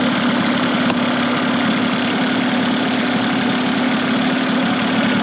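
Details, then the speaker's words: Mercury 15 hp two-stroke outboard built from two non-running motors, with good compression and spark, after adjusting the idle speed on the throttle arm: steady, even idle, light buzzy exhaust, no misses or knocks; running smoothly. "seems pretty good right there"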